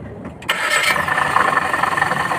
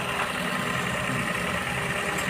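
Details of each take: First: Maruti Baleno engine started at idle: steady metallic rattle and whirr over the idle from the water pump; worn water pump bearing, belt then removed and water pump taken out for inspection. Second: Maruti Suzuki Baleno after replacing rattling old water pump with new TVS water pump and refilling coolant; smooth, even idle with steady hum, no squeal, grind or bearing rumble from front of engine: normal idle.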